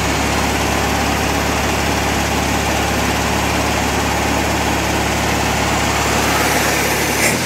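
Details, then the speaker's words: Normal idle of a VW Bug's air-cooled flat-four after a swap to a trash-picked estate-sale engine, still warming up: a steady, even low thrum with no misses or knocks; the earlier stutter went away. "Sounds good though. Yeah, that stutter went away."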